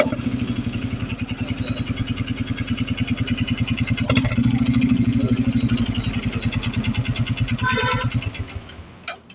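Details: Royal Enfield Meteor 350 with engine noise and poor pickup: single-cylinder thump at about three beats a second with an uneven, rattly edge; abnormal engine noise, cause not yet found.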